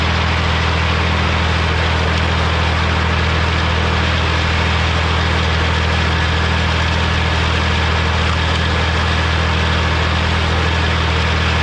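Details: Morra F25-6 disc mower on a tractor, test run after repair (it had a pod bearing failure the year before and is down again). Steady, even drone with the discs spinning smoothly, no knocking or metal contact; the mower is running healthy.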